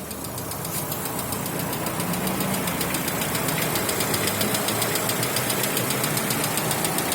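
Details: 2016 Lada Vesta 1.6 at cold idle with a light, fairly even ticking knock about three to four per second that goes away when warm; suspected hydraulic lifters and piston slap, reduced by switching to Zic X9 5W40 oil.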